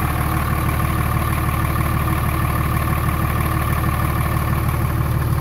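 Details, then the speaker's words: 24-valve Cummins diesel with about 330,000 km, warm at 89 °C, after valve lash adjustment, heard from outside: steady, even idle with smooth low rumble and no ticking; normal warm idle, sounds much better. "probably really hard as hell if you don't listen to the truck all day every day but I can definitely tell sounds way better considerably better"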